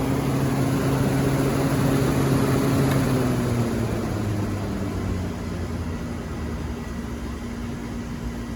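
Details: Old KKT chiller after contactor replacement, condenser fans running in pairs; steady even compressor hum, low drone and constant fan rush, no knocks or surging; running the right way, normal.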